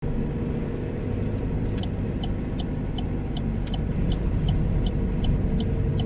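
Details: Opel Astra 1.6, 81 kW: deep engine rumble builds under throttle, with a light metallic tick repeating about four times a second. The rattle occurs on acceleration; cause undetermined.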